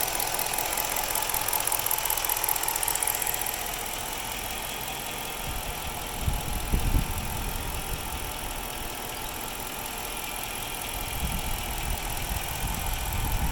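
Engine idles unsteadily, with lumpy surges and uneven pulses rising and falling over several seconds, a rough idle with the cause unclear.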